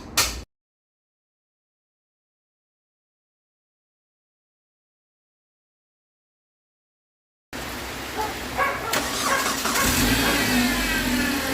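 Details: 2001 Mitsubishi Galant 4G94 after an engine swap, crank no start traced to wrong cam sensor signal mistiming the spark: after a long silence it fires and settles into a steady, even run, no misfire; normal running.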